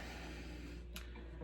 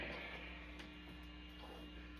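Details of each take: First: Fender Hot Rod Deluxe tube amp after a Fromel mod, warmed up and idling, with no mains hum or buzz it previously had, just a faint tick; normal quiet idle. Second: Fender Hot Rod Deluxe tube amp, channel 1 through input jack 1, off standby: steady low buzzy mains hum and very low volume, and the input jack is found faulty; constant hum.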